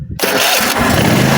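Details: Bad Boy zero-turn mower after tightening the starter solenoid's ground bolt to the frame: the starter catches almost at once and the engine fires and settles into a strong, steady run; it starts normally.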